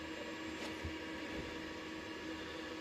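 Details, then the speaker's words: Three-phase 10 kW DEYE solar inverter, two years old, after DEYE firmware update: quiet, steady electrical hum with no relay clicking; it no longer disconnects the city grid as it did idle and under load, the cause being firmware. "Дивіться, все те саме, але тепер вже працює і нічого не клацає. Тобто мережу не відключає міську, як це було раніше."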